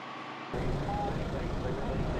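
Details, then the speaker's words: John Deere 7520 tractor after full oil change and new filter: steady, even low diesel rumble at idle with no knocks or misses; running great. "Full oil change, new filter, the whole works. She is running great and ready to put to work."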